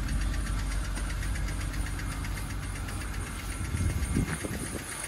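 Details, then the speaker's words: All-wheel-drive car idling just after a cold jump-start, then revved; light, fast, uneven tapping over the engine note, which the owner thinks could be a motor tap or lifter; cause unconfirmed. "i don't know comment below let me know if you think that sounds like a motor like a motor tap or a lifter type or whatever"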